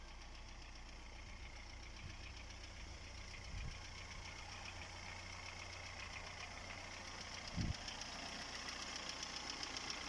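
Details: Chery Amulet A15 engine knocking at idle with the oil pressure warning light on: a light, irregular knock over the engine hum, steady rather than load-dependent; internal knock with low oil pressure, cause not yet found before teardown.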